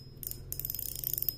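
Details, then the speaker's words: Okuma ITX 1000 reel with a homemade drag clicker spring fitted for louder sound, line being pulled: rapid crisp ticking, about twenty clicks a second, loud and even; louder than before, drag clicker working normally. "sekarang kita coba dengar suara klikernya nanti dibandingkan juga dengan yang sebelumnya seperti ini dia ya kedengarannya memang sudah lebih kencang suaranya"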